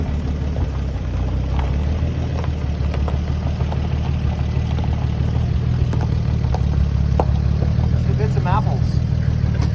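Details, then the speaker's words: 1957 Chevy truck stored for decades, just fired up after refilling the tank and its old fuel pump feeding the carburetor: steady, even low rumble, no misses or knocks; settles into a smooth, healthy idle. "so we plugged it into the carburetor and it fired up and"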